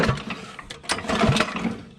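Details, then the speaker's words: Grandpa's WWII aircraft generator welding machine, single-cylinder engine that had long been sitting, with a replacement Champion plug gapped and oil sprayed in the cylinder: irregular pull-starts, then uneven pops and a short rough catch. It fires and will run. "that's got yeah you can hear that she'll run i'm just curious we give her some gogo juice what will happen this thing's gonna run"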